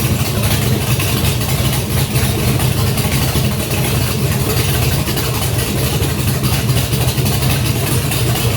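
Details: Junkyard GM LS 5.3 V8 on an engine stand at first fire, no coolant, run briefly with the block at about 98 degrees: steady, even low rumble with a smooth, unbroken idle and no knocks or misses; sounds healthy.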